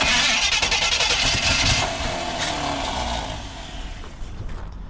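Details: 1980 Chevy 4x4 squarebody after a Quadrajet rebuild: rough cranking chatter with uneven bursts where the engine half catches and stumbles but never runs on its own. Sputtering while cranking.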